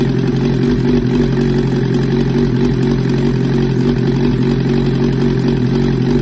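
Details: 1994 Suzuki GSXR 750 on its first start after a rebuild with a Wiseco 1mm-over piston kit and Yoshimura Stage 2 cams. Smooth, even four-cylinder idle with a steady low beat and no knocks, ticks or rattles; a normal idle.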